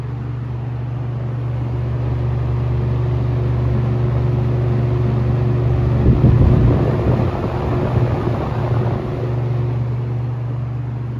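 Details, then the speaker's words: Restored ~1977 Superlectric 2083 fan on its first-ever run, set to high: a deep, steady, low-pitched hum with an even beat. The fan is running normally. "[Music] rattling this thing sounds really deep like it's very low pitch"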